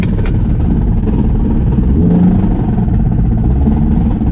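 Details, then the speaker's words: Car transmission, hammered for two years of half-mile events, blown while racing; still has first gear, driven anyway; harsh, rough drivetrain roar with ragged clatter as it pulls hard in first. "It has not given me no issues, but I blew that motherfucker tonight."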